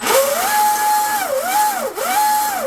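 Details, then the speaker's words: RC Deltaforce Vortex 24 twin hydroplane, generic 80 A ESCs, Leopard 2850 motors on 4S packs, newly greased driveline, full trigger out of water: clean whine climbs and holds steady, dips and rises with each pull, no burst or cut-outs; normal spool-up. "So let's give it full trigger here. Yeah, you can hear it. There's no burst."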